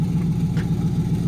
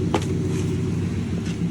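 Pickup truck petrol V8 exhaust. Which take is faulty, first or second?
first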